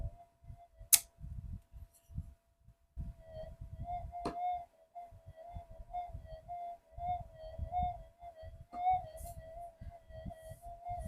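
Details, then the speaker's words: GPX-5000 metal detector on the bench for upgrades, in enhance timing: a steady mid-pitched threshold wobbles and warbles with irregular crackly bursts. Noisy, unstable threshold; owner says the 5000s are noisier than the 4500s. "Oh, it's bloody noisy as too."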